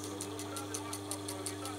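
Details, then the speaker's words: Booster pump of an old (about 7–8 years) Chinese reverse-osmosis system with CB5 controller, just reassembled after repair and starting to pump: steady low hum with soft rhythmic chuffing about five times a second; low-rpm pump, seems somewhat loaded but normal. "накачивать. Чавкает, шелестит."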